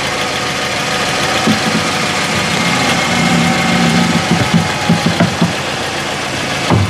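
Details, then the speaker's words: Mercedes A-Class W168 at idle, steering wheel turned: irregular creaks and dull clunks from the front suspension, which has a cracked spring; front shocks and top mounts to be replaced. "Ja wsiadam do samochodu kręcę kierownicą Mam nadzieję że audio odda nam to i będziecie słyszeć o czym mówię jaki jest hałas"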